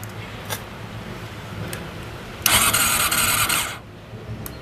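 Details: Honda CBR400RR NC23 with a new fuel cut-off relay and a brand-new fuel pump, and no pump sound heard: quiet, then about a second of starter churn without catching. Crank, no start; owner suspects the electrical circuit.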